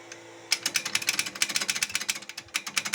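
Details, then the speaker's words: ZAZ Tavria rear left drum brake rattling while driving: fast bright metallic clinking, like a bell, over every bump; a metal spring clip on the brake shoe often falls out, fixed differently so it won't ring again. "тут стоит скобка металлическая часто она выпадает на каждой ямки вот такой звук"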